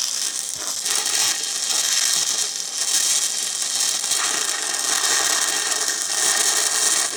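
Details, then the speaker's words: 6-inch schedule 80 pipe, 6010 root pass: steady hissing arc crackle with low growl inside the pipe, meaning penetration through both bevel walls; normal root pass. "You hear that growling sound that you're hearing inside the pipe? That means you're penetrating through the bevel."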